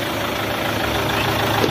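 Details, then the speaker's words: Captiva diesel after injection pump refit and timing, with fuel pressure confirmed: it starts without priming and settles to a steady, even diesel clatter at idle with no misses. Normal smooth idle. "Nah, tenang mesinnya, suaranya halus."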